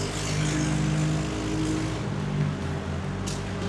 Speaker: At this point, I figured out it was probably just the exhaust not sitting correctly. Probably not a huge issue, I hope. I can confirm it is the exhaust that is disconnected itself on my bike.